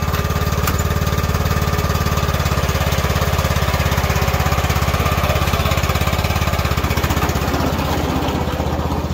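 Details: Craftsman T2400 riding mower, test drive after replacing the drive belt: the single-cylinder engine thumps along at a steady, even pace with no slipping or squeal from the drive. It runs fine.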